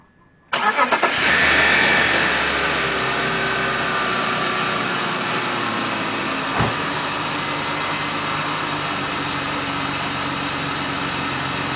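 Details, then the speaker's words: 1997 BMW Z3 2.8 L after replacing idler and tensioner pulleys (worn bearings squeaked and rattled under load): engine catches quickly, settles into even idle with no squeak or rattle from belt pulleys. "Everything appears to be working as it's supposed to and I don't hear no funky noises now."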